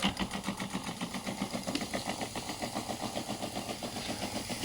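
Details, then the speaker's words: Small pump feeding a 3D-printed intercooler spray bar, running off a switch-mode power supply: a steady hum with light rapid clicking, three or four a second, which comes from the power supply (better on a 12 V battery). The pump is running fine. "It's still running beautifully. It's going well."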